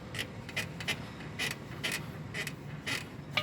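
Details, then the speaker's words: 2011 Mini Countryman on lift, rear stabilizer link rocked by hand: sharp squeaky creaks about twice a second from a completely worn stabilizer bushing, causing rear creaking and crunching over unpaved roads and bumps; bushing replaced. "지금 혼자 있어서 한 손으로 하는데도 이렇게 소리가 나요. 이 소리가 이제 비포장 도로나 관제타 넘을 때 이게 소음이 많이 나시는 거예요."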